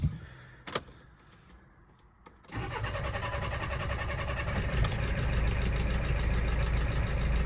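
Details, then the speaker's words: VW Scirocco TDI after timing belt failure, fitted with new camshafts following broken lifters and rockers, on a new battery and jump pack. It catches and runs rough and lumpy with rapid tapping about four per second, with coolant leaking. "started it don't sound good though that does not sound good to me I'm going to stop it there guys but it's running that sounds really really tappy to me"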